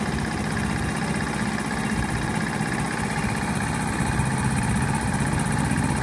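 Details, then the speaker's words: Honda horizontal single-cylinder 50cc-class engine (C50/Super Cub type) cold-started after valve clearance adjustment: steady even idle with no distinct top-end tapping; valves sound quiet, may tick slightly when warm. "they sound pretty quiet I'm happy with this"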